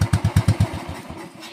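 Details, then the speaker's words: 2010 Royal Enfield Bullet Electra unused two years, at full throttle: six heavy even thumps then firing fades and dies; stalls under throttle, also cuts out when handlebar is turned, electrical problems noted. "വാഹനം വീണ്ടും ഓഫായി പോവുകയാണ്. വാഹനത്തിന് കുറച്ച് electrical problems ഒക്കെ ഉണ്ട്."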